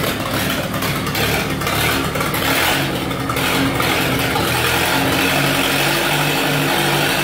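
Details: 1948 Lincoln SA-200 welder engine, long sitting without fuel, carburetor refitted and temporary fuel supply rigged, runs loud and steady with an even beat, no knocks or misses; got running with very little work, normal.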